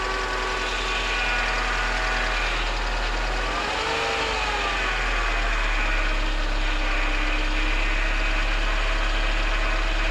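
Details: 1998 Mercedes C230 (W202), sat since 2018, being revived, MAP sensor unplugged at the time: engine holds a steady, fast idle and won't idle down; idle speed stays too high.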